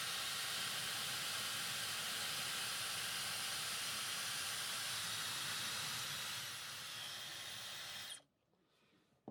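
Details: Dyson HD03 Supersonic hairdryer that had been shutting down after a few seconds: smooth, even high airy rush with no rattles or speed wobble until it switches off; the motor sounds healthy; hair wrapped inside is suspected.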